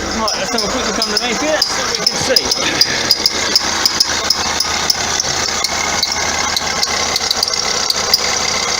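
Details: 2009 Vauxhall Astra diesel, complaint squeaky belt and knocking underneath: sharp high squeaks and ticks, roughly 80 a minute, over the running engine; alternator pulley wandering up and down its shaft, chafing the belt's inside edge; idler also suspect.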